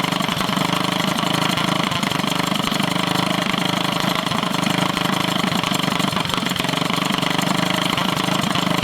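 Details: Drift go-kart small single with stage 1 kit, first start after sitting over a year: steady buzz but idle hunts, never settles; owner suspects it just needs running; unstable idle.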